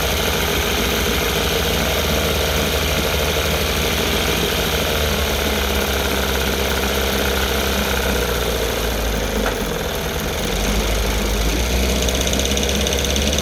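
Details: Rebuilt 1960 Evinrude Fisherman 5.5 hp two-stroke outboard in a test tank, just after first cold start on choke: even rapid burble at a steady speed, no misses or clatter; warming up healthily, pumping lots of water.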